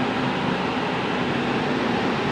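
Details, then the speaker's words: Indoor AC unit after a new capacitor is fitted to a fan motor that had not been running: steady, even airflow hiss with a faint constant hum and no rubbing or ticking. The indoor fan now runs normally. "Maandar na yung fan. Tapos, may paandarin yung compressor, yung outdoor."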